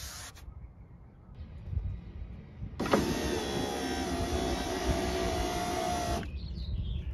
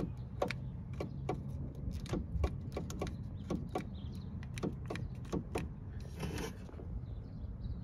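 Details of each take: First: BMW E30 power window after dielectric grease applied, weather stripping cleaned with silicon spray: motor pulls about three and a half seconds with a smooth, even whine, no binding or grinding; healthy. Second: BMW E30 power window: wiring and switch show continuity. Pressing the switch gives repeated sharp clicks and a faint low hum, motor trying to run but glass not moving. Mechanical binding, possibly at the teeth, is suspected.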